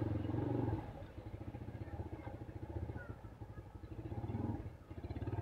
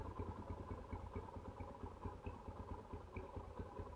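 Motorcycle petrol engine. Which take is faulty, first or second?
first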